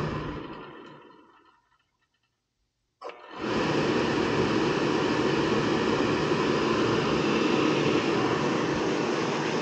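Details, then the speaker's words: Trianco oil boiler with a Riello burner, started after a full service (new nozzle, cleaned strainer, new fuel filter, burner adjusted) and an oil line purge: quiet, then a soft thump at light-off and a smooth steady roar. Clean, normal ignition. "let's start it up ah nice check the Cycles a few times make sure it fires right up"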